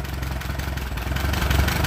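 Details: Allis Chalmers B tractor engine after repairs: deep, even idle with a steady low beat and no knocks or misses; runs smoothly, burns a little oil, oil pressure barely present.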